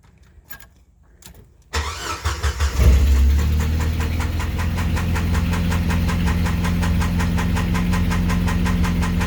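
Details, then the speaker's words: 1995 Jeep Wrangler YJ starting and settling into idle with a steady light tick, about 220 per minute. Oil pressure and level fine, plugs and wires checked; owner suspects an exhaust leak rather than rod knock. Unconfirmed. "hi everybody I have a 95 Jeep Wrangler I'm currently dealing with what I think is possibly an exhaust leak I originally thought it was a rod knocking but my oil pressure is fine my oil level is fine"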